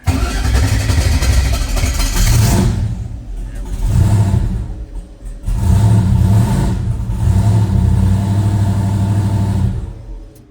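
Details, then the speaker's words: 1968 Chevrolet Chevelle twin-turbo build: hard start, engine catches raggedly and only keeps running with throttle blips by foot, surging unevenly; rough running, it needs a tune. "Yeah, I got to help it a little bit with my foot. It needs tune. Just give me a break."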